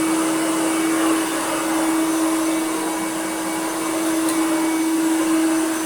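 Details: Hoover Turbomaster Electronic vacuum after new belts and belt-shifter repair; smooth constant motor whine with airflow hiss, no rattles or pitch dips; reliable on carpet and hard floor, normal running.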